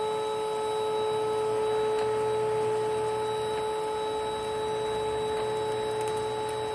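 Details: 1992 Panasonic Jet-Flo MC-9530 canister vacuum (made in Japan) running with its dual-sweep power nozzle: steady high whine with several sharp tones and a faint rough hum underneath; the motor needs new bearings or new grease.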